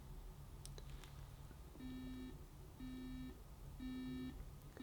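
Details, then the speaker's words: Bush DAB USB clock radio buzzer alarm ramping up in volume, heard at about halfway: regular beeps about once a second, each burst a bit louder over a quiet room; alarm working normally, can be snoozed. "There you go, it's quite loud. And remember, that's only halfway."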